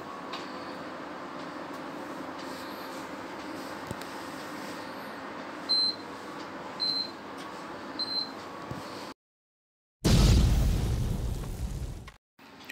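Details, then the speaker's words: Prestige induction cooktop with pot on, before repair: sharp high beeps a second apart, no heating hum; won't heat, E4 error displayed, caused by faulty high-voltage resistor. "When I turn this thing on and put some pot on it, then it doesn't work, it doesn't heat up, just keep on beeping. And then after that, when I tried next time, and then it was showing the E4 error on this display panel."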